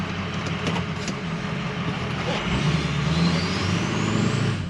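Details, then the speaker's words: 6.0L Powerstroke diesel with the tow tune, driven after a faulty EBP sensor was diagnosed (it read 18 psi). A deep drone pulls away with a faint whistle climbing in pitch: a normal turbo whistle under acceleration, with a big power gain. "Right off the line I can feel a dramatic difference in power. Just right there. I'm hoping you guys can hear that difference, because that's crucial."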